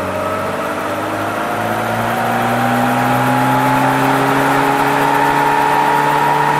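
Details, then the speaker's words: Classic Mini 998 cc automatic after setting valve clearances: engine note rises cleanly to 5,000 rpm, smooth and even with no misfire or rattle; 22 degrees at 5,000 rpm, vacuum hose off, ignition timing spot on. "Well, that is really lovely. So that means we now have 22 degrees at 5,000 RPM with the vacuum hose off, and that means our ignition timing is spot on."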